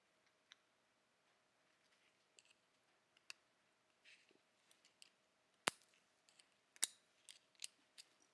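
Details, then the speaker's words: Honda CR125R transmission rebuild: new snap ring spread open and slid onto the shaft after the gear collar washer, sharp metallic snaps as it springs into its groove among handling clicks; ring seated properly, no snap would mean replace. "And then we're going to cut our snap ring open. Same thing. You want to make sure you hear that snap."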